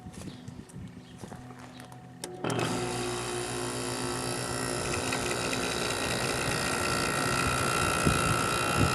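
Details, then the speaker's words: 1989 Carrier International Series window air conditioner with GE fan motor, compressor started after fan-only test: light fan hiss, then compressor kicks in around two seconds with a smooth even hum, starting to cool, running normally. "It's getting a little cold. Let it run for a while. Compressor has a real nice sound to it."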